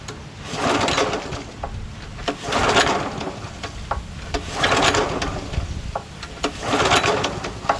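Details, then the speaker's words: Honda GX340 11 HP pressure washer engine, previously seized, water drained out: recoil pulls about every two seconds, each a rising whoosh with a compression chuff, turning freely but not firing; some compression felt, possible compression release. "yeah it feels like it has a little compression but there might be a compression release for 11 horsepower pretty easy to pull but you could feel the compression you can hear it too"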